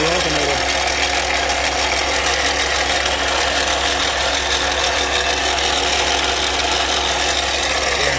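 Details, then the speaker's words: Toyota Sienna at idle, noise loud under the hood, traced with a screwdriver stethoscope: loud, harsh, steady grinding whir over a constant idle; failed alternator bearing, alternator replaced. "I'm taking a screwdriver up to my ear it sounds like the alternator so I'm pretty confident"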